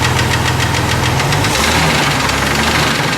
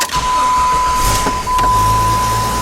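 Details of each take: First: Jeep 4.0 petrol six idling with a loud, heavy, regular knock hammering through the whole engine note; it developed within about two weeks of sounding normal, and the engine blew up about 4 hours later. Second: Jeep 4.0 engine: steady, even starter whir with no grinding or clatter, then the engine catches and settles; healthy cranking from earlier, before the engine developed a severe noise and later blew up.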